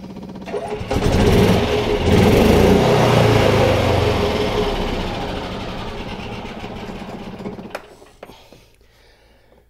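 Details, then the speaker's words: Yamaha G29 golf cart after fitting a new start switch: the small single-cylinder engine catches after a second, then runs with a quick even putter that slowly fades; a normal start. "push it in until it snaps okay now I'll try to start it foreign okay that's with a good switch on it"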